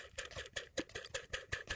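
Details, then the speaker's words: Mercedes idler pulley below the secondary air pump spun by hand with serpentine belt removed: dry scraping tick about five a second from a worn bearing; it should be silent. "That sound that you hear, you should not hear that sound. It should be quiet."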